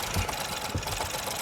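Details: Ford Focus 1.0 EcoBoost with codes P2111 and P2135, throttle stuck open; uneven idle with irregular thumps and stumbles about every half second; misfiring from a faulty throttle control actuator.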